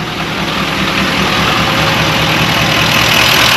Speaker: Boy, she sounds good. The more I love and a good sounding bonita.